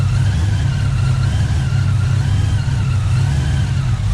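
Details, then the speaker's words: Engine just fitted with a 2.9 Whipple supercharger and SRT Max Plus cam, revving: a steady, deep drone with no squeal, chirp or rattle. It runs clean; the earlier noise is believed to have been the belt tensioner. "so as you guys can see now we don't hear any more noises and i believe it was the tensioner"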